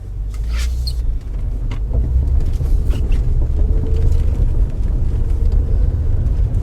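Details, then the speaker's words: 2005 Acura TL test drive after replacing a destroyed engine mount blamed for a noise the owner believed was suspension: steady low road rumble at cruise, no clunks or knocks over bumps; noise gone, normal road noise. "Yay! No more noise."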